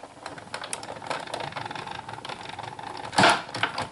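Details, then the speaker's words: Big Shot embossing/cutting machine cranking cardstock through a dots embossing folder between acrylic plates: irregular light crackles and ticks with one louder pop; normal popping and cracking for this press. "And you'll hear a lot of popping and cracking and things like that in the Big Shot, but that's exactly what it's supposed to sound like, so not to worry."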